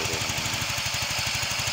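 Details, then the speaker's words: Yamaha Mio 125 (Mio M3) scooter with rough engine noise: a fast, even ticking over a rough-running idle; a weakened cam chain tensioner is letting the chain slap, which risks the cam timing jumping. "Ee jadi ini yang rusak itu adalah lift Tensioner ya ini ya teman-teman ee atau pengatur dari rantai keteng itu ya teman-teman ini untuk ngatur kenggangan lantai keteng ya biar enggak lompat-lompat gitu seperti itu"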